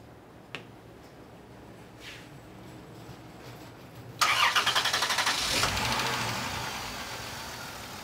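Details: 2003 Chrysler Town and Country with a heat-related intermittent no-start, codes P1389, P0320 and P0622: quiet, then a short crank that catches into a steady idle on a hot restart after a stall. The cam sensor is faulty and sets a crank sensor code.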